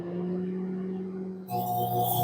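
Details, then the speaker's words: Microwave oven that failed after about a decade with scorch mark at magnetron, powered up: steady low hum growing louder and harsher; transformer straining under excess current, magnetron short suspected, not confirmed. "that to me is the sound of the Transformer really struggling because it's uh got far too much current being drawn through which as I said is a pretty good symptom of the Megatron being shorted"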